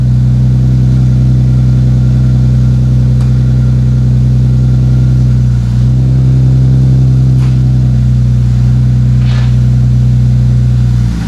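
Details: 2JZ-GTE twin-turbo swapped MKIII Supra after reassembly, five-dollar failed part fixed and turbo blankets added: deep, steady, even idle hum over ten seconds, no knocks, misses or rattles; engine running clean and healthy.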